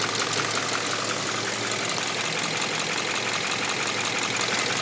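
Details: Subaru Impreza FB20 engine with a fast, even light valvetrain-type ticking over a smooth steady idle, seemingly around the pistons on each side; owner asks whether the valves can be adjusted, cause unclear.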